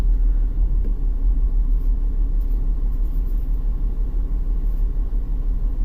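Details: 2001 BMW X5 3.0L with code P0306 and catalyst efficiency codes: low, uneven, lumpy engine rumble under load, about three beats a second, with one cylinder dropping out. The scope shows one ignition coil not multi-striking, suggesting a failing coil is causing the misfire.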